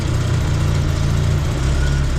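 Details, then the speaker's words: A-reg Vauxhall Nova 1.6 injection that had run badly, after fitting a different replacement sensor: even, steady low idle without stumbles or misses; normal idle, running cleaner. "that seems to be revving cleaner"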